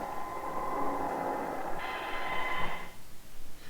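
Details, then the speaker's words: Sangean ATS-909X2 on shortwave with its telescopic antenna; steady whistling tones over hiss that jump in pitch partway through, suspected internal feedback or interference, cause unconfirmed; sensitivity otherwise much improved. "okay it goes on to do excuse me more testing on different frequencies saying gn has that noise problem sounds like some kind of internal feedback on"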